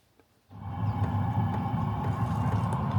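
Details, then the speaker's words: Diesel heater in Palomino camper started cold (31°F inside, 26°F outside): soft steady ticking two or three a second over low fan hum; normal fuel pump ticking heard only at startup, not once up to temperature. "So this is the only time you hear the ticking of the fuel pump is when it's first turning on. Once it's up to temp, you don't hear it."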